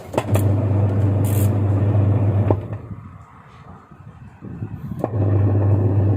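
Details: Washer after cleaning debris off the pulsator and refitting it: steady low motor hum with even, smooth agitation strokes, no knocking or scraping, so the washer now runs normally.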